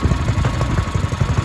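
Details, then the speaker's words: Ryobi 3100 psi pressure washer with a 212cc single-cylinder engine, carburetor cleaned, throttle set manually: the engine runs with a steady, even chug and no knocks or misses, sounding healthy after repair. "perfect so I ended wrong sounds pretty good"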